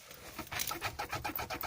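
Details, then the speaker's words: Daewoo Lanos/Sens rear cabin squeak despite new bushings and shocks: short rhythmic squeaks every quarter second, plastic rubbing on rear seat guides, even on normal roads; fixed by removing the seat and addressing the plastic guide bushing. "если у вас замучил скрип в задней части салона вот я по проверял всю машину саленблоки новое встает но мортиза тары новой сыром что-то скрепив пищит вот такой звук"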